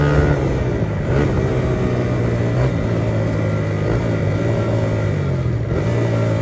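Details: 1982 Honda XR80 fitted with an XR100 engine, restored after a leaking tank and a tank sealer that nearly ruined the engine. It starts right up, revs and settles to a steady even beat with no knocks or misses. Normal running, "runs like a top".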